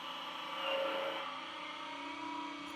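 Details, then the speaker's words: Schaublin 125-CNC lathe on a LinuxCNC retrofit, with software control of the VFD, CVT and backgear: the cutting whir drifts and climbs partway through as the frozen ratio calculation causes pauses and re-acceleration under constant surface speed, so the spindle speed is hunting. "As you can hear from the speed changes, it's sort of right with following the constant surface speed velocities needed, but I have to freeze the ratio calculation so much of the time that you get these long pauses where the thing's recalculating, and then halfway through the cut you're accelerating again."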